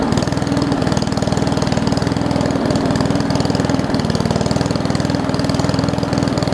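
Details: Old Murray push mower with a Briggs Classic single-cylinder, fuel tank swapped from another mower. It putters at a slow, slightly uneven low idle with a soft popping beat; the owner thinks the governor spring looks missing, not confirmed.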